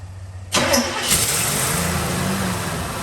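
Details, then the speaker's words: 1957 Chevrolet Bel Air cranked after 19 years sitting: the starter keeps turning the engine over at a steady beat but it never fires. Crank, no start; owner suspects a bad fuel pump. "yeah no most likely the fuel pump is bad"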